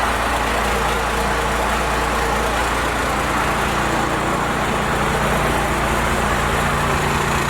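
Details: First-gen Cummins diesel truck with a 4-inch straight pipe, before advancing the timing and adjusting the idle: very slow, deep, loping idle clatter; the idle speed is set too low.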